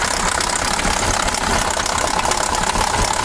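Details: KamAZ 740 Euro-2 diesel, cold and not yet warmed up, idling with heavy rapid knocking over a harsh clattery run; owner suspects cylinder 3 (or 7), compressor or fuel pump, plus oil in the V and hard starting.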